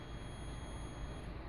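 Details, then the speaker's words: Multimeter continuity buzzer testing the coil wires of a new washing machine drain pump motor: one continuous high-pitched tone confirming a closed circuit. "You can see that the ohm meter is letting you know that the circuit is closed. That's what that beeping is for."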